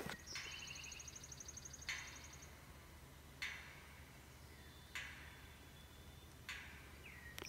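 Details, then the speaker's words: Electric fence with low voltage readings: sharp ticks on the jumper wire to the weaning pasture about every 1.5 seconds, birds behind. The owner suspects heavy rainwater got against the fence, and poor ground contacts are also suspected. "I hear the ticking in that wire."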